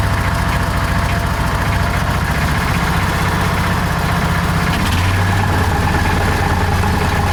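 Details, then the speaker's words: John Deere Gator 4x2 at low cold idle: rough idle with rattling, uneven clatter from the rear belt/clutch area; primary clutch grabbing the belt at idle. "There you can there you can probably start to hear some of that belt noise or that clutch noise I was talking about. Makes an awful racket back there."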